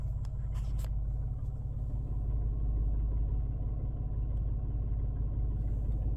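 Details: 2021 Mitsubishi Mirage at idle: low, throbbing idle with a slightly irregular beat, roughly two or three pulses a second; rough idle, cause unknown.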